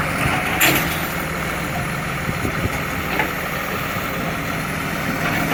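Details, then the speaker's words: Recycling truck, diesel: rough idle with raspy edge and scattered sharp puffs over the engine note; exhaust leak. "exhaust leak. Oh, it sounds beautiful."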